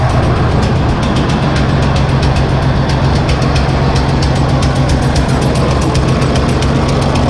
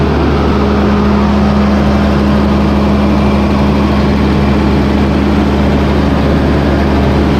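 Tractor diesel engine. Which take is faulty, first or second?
first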